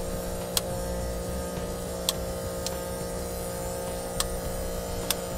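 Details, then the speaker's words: Brake actuator pump on a HydraStar electric-hydraulic brake actuator kit being installed on a 2005 NuWa Discover America fifth wheel: steady low hum with faint clicks as it builds pressure while the actuator bleeder screw is loosened to purge air; normal operation. "you'll hear the actuator humming there that means it's building pressure and we'll just loosen that screw you can see the air bubbles"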